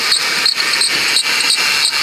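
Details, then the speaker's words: 2006 Ford Taurus 3.0L V6 with a worn serpentine-belt idler pulley bearing, before replacement. Sharp, high chirps about three per second; the noise had calmed somewhat from earlier. "sitting stationary will cause it to track back and forth across that wheel and across the adjacent pulley Wheels causing unnecessary friction and increased wear on your belt"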